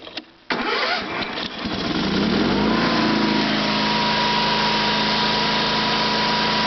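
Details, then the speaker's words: Sears SS/16 garden tractor, 16 hp Onan opposed-twin engine running from a temporary gas tank with clean fuel line because the original tank and lines are clogged: a short crank, then a steady, even full-throttle run out of gear; healthy start. "I'll start it up and I'm gonna go put it away in the garage so a little start and drive should start right up"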